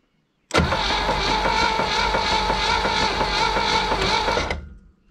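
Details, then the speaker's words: 1964 Impala 283 V8 sitting since the 1970s, cranking with coil hot-wired: even steady cranking that never fires, no spark, slight knock, oil starting to circulate; cranks but won't start, dirty points suspected. "no spark slight knock i can hear oil starting to cycle i got sparked with my screwdriver so uh more than likely dirty points"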